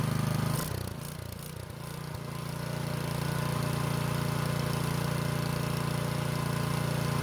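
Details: Curbside-found snow blower after clogged carburetor jet cleared and upsized, temporary fuel supply: electric starter cranks in short bursts, engine catches and settles into steady even idle with no stumbling; now runs right.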